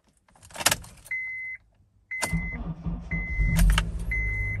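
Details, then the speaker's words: Older Honda CR-V, battery already replaced and good: chime, then starter turns over with a short hesitation before the engine catches and runs; faulty starter motor. "i'll show you how to change out the starter so if your car does this listen carefully"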